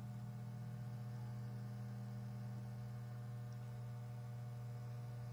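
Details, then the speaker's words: Cooler Master MasterBox 5 Lite RGB PC case giving a faint, steady buzz like distant hair clippers; it stops when a hand is pressed on the front panel, pointing to the front panel vibrating. "You'll hear like a small sound that sounds like a pair of hair clippers in the distance. Sounds like a muffled pair of hair trimmers."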